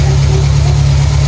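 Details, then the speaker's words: Classic Renault 5 after fuel pump replacement and new spark plugs; starts easily, smooth steady low rumble with even firing, no misses or knocks; normal idle. "the car starts with ease [Music] start of ease idles nicely it's running nicely now"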